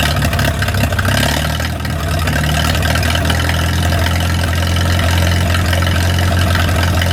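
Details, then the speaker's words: 1937 Willys four-cylinder flathead (assumed) generator engine, revived after sitting 15–25 years, started after a leak repair. It holds a steady, even low idle with a smooth rumble and no knocks or misses, left running to warm up. "I'm just gonna let it sit there and run for a little while, warm up."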